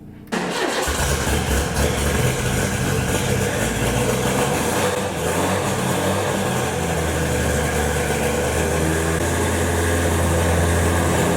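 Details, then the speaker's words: Ford Escort RS1600i, started on a jump pack: fires almost instantly and settles into a steady, even idle with no misses or knocks; healthy start. "this has run for years you know and it fired straight up so we'll give it a go definitely"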